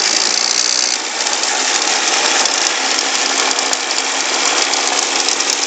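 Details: Audi A4 B5 2.8L revving 1500-3000 rpm: a harsh, hissy rattle rides over the engine with almost no deep tone underneath; unidentified abnormal engine noise.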